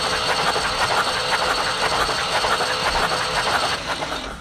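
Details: 1974 Ford 3550 industrial tractor, engine freed up after seizure, cranking with spark plugs removed after fixing loose terminals: even, fairly quick clatter about two beats a second with no binding; normal cranking.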